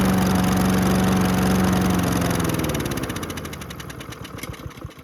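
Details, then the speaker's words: Honda GCV160 engine on Husqvarna HU700H mower, sat 3+ years, carb cleaned, on auto choke: runs about two seconds then slows and dies; suspected fuel starvation, fuel line only dribbling, carb bowl possibly not filling. "So when we were emptying this out, the fuel line kind of only had a little dribble. I wonder if it's not going through the carb fast enough for it to constantly have the bowl filled."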